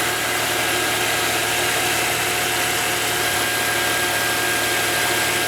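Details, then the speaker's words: Volvo S80 3.2 AWD idling cold, checked with the hood open, after the power steering hose was replaced with the stock pipe and fluid foaming was fixed. Smooth, even idle with a faint hum; the half-worn power steering pump is quiet, with no whine. "работает абсолютно тихо никакого боя насоса нету"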